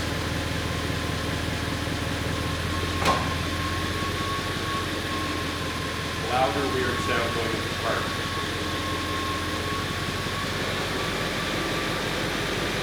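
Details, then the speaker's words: 2001 Audi S8 with an "Incorrect Gear Ratio" trouble code, transmission tested at warm idle: a sharp clunk and rattly jolt as the selector moves through neutral into reverse and park, a harsh engagement of unknown cause; all gears otherwise present. "Go back up neutral reverse park. Odd sound there going into reverse."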